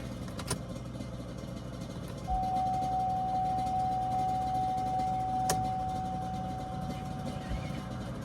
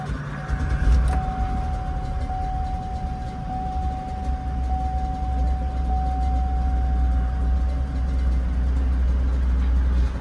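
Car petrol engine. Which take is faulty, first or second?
second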